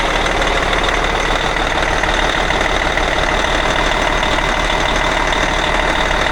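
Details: Cat 657E scraper, Caterpillar C18 diesel idling after rebuild following oil loss from failed air compressor (new cam/idler gears, timing cover, compressor, repaired pan): deep steady rumble, even beat, turbo hiss, no knocking; normal idle.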